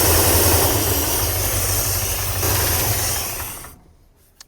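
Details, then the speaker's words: International Scout sitting 18 years, carburetor primed with gasoline, B12 and Marvel Mystery Oil, pump outlet routed to a can; engine catches, runs rough a few seconds, then fades and dies — fuel starvation, pump not delivering fuel, later replaced. "She's not pulling fuel. Well, it's kind of looking like the fuel pump's not working."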